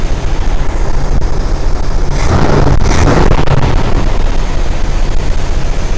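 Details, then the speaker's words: 1981 Corvette V8 warm idle after coolant flush and new sending unit, reaching operating temperature, heater on, hoses hot, still burping a little: deep steady burble, even rhythm, no ticks or knocks; running okay. "'s doing good it's running okay and we are reaching operating temperature"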